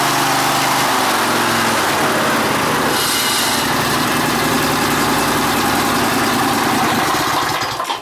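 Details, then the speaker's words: Rebuilt 21 hp Briggs & Stratton V-twin after governor adjustment, first brief run: fires right up and settles into a steady, even high-pitched run with no misses or knocks; successful rebuild, normal running. "that was a successful rebuil guys I can't believe I rebuilt this engine all by myself that's pretty kickass right there"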